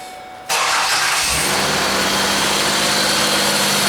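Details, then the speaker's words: Ford Escape started after serpentine belt work: the engine catches cleanly and settles into a smooth, even idle with no bearing whir or chirp, as quiet as when it ran with the belt off. "Oh yeah, nice and quiet. That's good. So that's one more job down."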